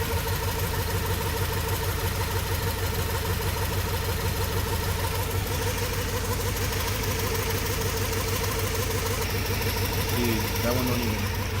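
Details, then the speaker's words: Honda Civic with a swapped-in H22 engine: lumpy idle with a regular stumble about twice a second. Cylinder number two is misfiring again. "cylinder number two I mistook with cylinder number one last time but sooner number two is the one that always gives me problems"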